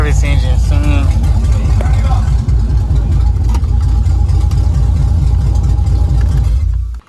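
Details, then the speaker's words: 2000 Camaro SS with junkyard 5.3 LS1 block and heads replacing knocking 6.0, first start, no exhaust so super loud, some smoke from oil burning off headers; raw, steady, even V8 rumble without misses, running healthy. "we got that it's no exhaust long so that's why it's like super loud we did have some smoke burning but you know that's all the oil and stuff has to burn off from the headers and stuff"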